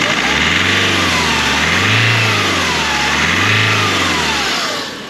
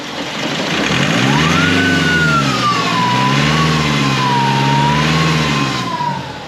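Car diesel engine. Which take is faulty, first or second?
second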